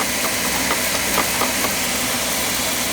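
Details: Oil boiler burner after running out of oil and bleeding the line, clean oil flow restored: steady, even flame roar with no surging or puffing; firing normally.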